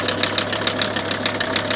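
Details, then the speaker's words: Mercedes W123 300TD turbo wagon: steady diesel idle with a quick, even ticking knock about six or seven a second over the low hum; owner unsure whether normal, suspects engine fault, cause unconfirmed. "If you saw in part 1 and part 2, I drug this thing home and I started to hear this funny noise in the engine. I'm thinking, is that normal or not normal?"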